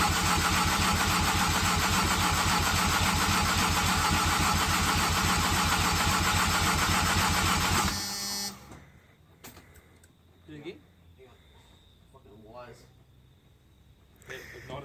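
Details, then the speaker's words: Mazda FD RX7 with bridgeported rotary at first start attempt: even, steady starter cranking about three and a half turns a second for eight seconds, never fires; MAP sensor connection suspected, not confirmed. "so I've just tried to start it and nothing's happened"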